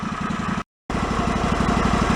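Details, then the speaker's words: Yard-sale John Deere mower engine, previously flooding the carb, fuel pump reconnected and held about 9 psi: steady, even idle with regular putter, no hunting, running eight minutes without flooding; normal idle. "it's been about eight minutes or so it's been running without an issue so the initial problem of it flooding over is not happening"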